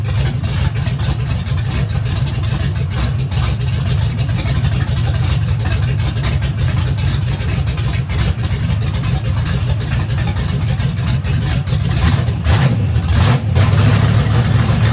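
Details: Turbo methanol engine after teardown, first fire-up after suspected lost fuel prime, before hot side fitted: deep steady low rumble, even with no misses or knocks; normal running.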